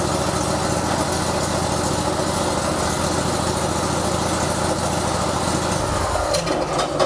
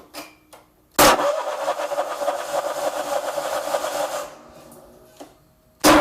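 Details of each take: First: Vanguard 35 hp road cutter, fuel fed manually to bypass the stuck, non-clicking carburetor fuel solenoid: steady, even buzz for about six seconds, then winds down cleanly, no misfire. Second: Vanguard 35 hp road cutter that won't start after long storage, battery jumped: about three seconds of cranking chug that never catches and dies away; fuel not getting through, traced to a stuck carburetor fuel solenoid.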